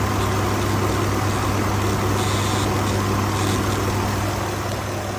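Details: 2019 Ford F-150 XLT 5.0, bought used at 43,000 miles, rough idle and intermittent stalling: deep steady drone with low buzz and slightly uneven idle; cause unknown.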